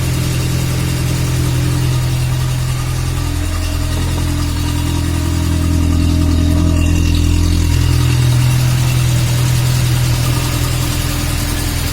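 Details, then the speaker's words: VAZ classic (2101-2107) raised on stand, after adding grease to the axle shaft bearing, brake drum removed: steady even low hum at rear hub with no rattle or knock; previous rattling gone, bearing sounds healthy. "Да, уже такого нету, согласен. Но это без барабана."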